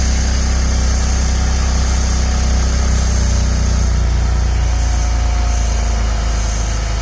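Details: Ford/Lincoln with a suspected exhaust leak, louder when cold, exhaust smell in the cabin; dealer called it a normal condensate drain; steady idle with an uneven puffing pulse about four per second underneath; exhaust puffing at idle.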